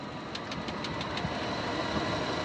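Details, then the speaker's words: Nissan R33 Skyline just bought, engine idling smoothly with light, sharp ticks about six per second, fading after a second, with an occasional slight knock; owner suspects a stuck front lifter, not confirmed. "we tapping I heard you hear that right hope that's not the motor knock I think it might have a stuck lifter do it again"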